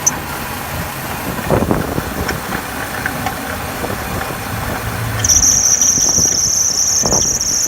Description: 2008 Hummer h3 engine or fan belt squeaking noise